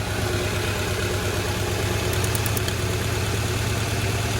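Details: Honda Accord idling during a cylinder kill test: lumpy uneven idle stumbling irregularly about three times a second, one dead cylinder misfiring; plugs ruled out, cause still unknown.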